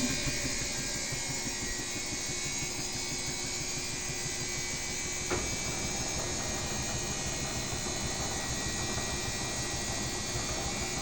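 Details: Washing machine draining: even, steady pump drone with water rushing and no grinding or rattle; it moves but lacks the loud banging of the neighbour's machine, drain pump sounds healthy.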